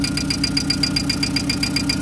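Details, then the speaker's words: VW Gol engine: fast, crisp, even light ticking at idle, about seven per second, from hydraulic lifters not yet pumped up with oil; camshaft and its housing reportedly worn and knocked before. "fazer o bicho funcionar só parar carregar os tuchos aí parar essa batidinha um pouquinho vai bater né"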